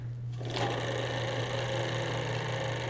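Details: Matrix robotics racer axle running smoothly after brass bearing plates were installed: a steady, even whir with no clicking or rattling, showing less friction and vibration.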